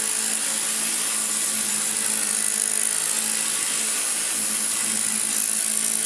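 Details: Hoover Junior 1334A upright vacuum after full rebuild that fixed an awful-sounding motor, new fan and brush strips: steady high airy rush with constant motor hum, no wavering, rattle or grinding; normal running.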